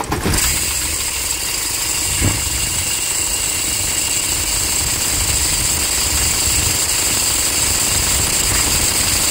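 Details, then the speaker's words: Toyota Hilux 2.5 diesel starting: fast harsh scraping chatter from the alternator over the diesel clatter; failing alternator freewheel pulley. "você vai perceber que milésimos de segundo antes de do carro parar totalmente ela para o barulho do do alternador"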